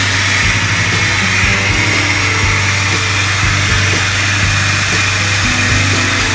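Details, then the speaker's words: Jeep WJ 4.0 after new plugs and ignition coil; steady high whine over smooth idle, loud on cold start, quieter after seven or eight minutes running; owner suspects a bad pulley bearing, possibly power steering; whining noise at cold start. "now the engine after running about seven or eight minutes got a lot quieter but every time i started up it's fairly noisy i'm pretty sure the bearings are going bad"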